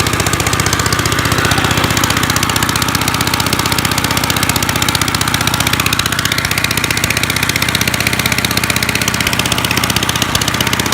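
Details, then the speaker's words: 1955 Gravely Model L single-cylinder, sat about five years, points cleaned, started in two pulls, mid throttle, neutral: loud slightly uneven popping about four beats a second, open exhaust bark; ran half-choked, owner suspects carb needs cleaning or needle adjustment. "it was kind of on like half-choked the whole time so it probably needs you the carb cleaned or maybe just even the nee"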